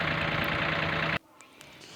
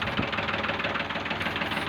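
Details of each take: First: Old Ford tractor diesel after repair, still giving slight smoke: steady even-firing idle for about a second, smooth and healthy; said to be fixed, only a small problem, with governor link screws mentioned as the adjustment. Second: Ford tractor diesel during fuel system work, after nozzle check and setting, smoke now much reduced: rough idle with a sharp regular knock on every firing stroke; some problem is still noticed and the setting is still being checked.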